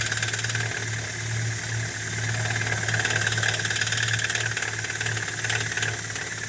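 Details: BMW E87 118i (N46B20) cold start: rapid uneven clatter like a bucket of nails, fading after brief running and returning every cold start; hydraulic lifter tick on cold start.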